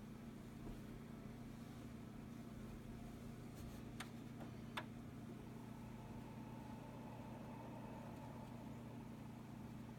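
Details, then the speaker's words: Synology DS415+ with four Seagate 3 TB NAS drives at first power-on, unloaded: very faint steady low hum with only a couple of soft clicks. Whisper-quiet, normal running. "whisper silent you can hear a bit of clicking I mean if you hear that at all I'm surprised but even I can barely hear that"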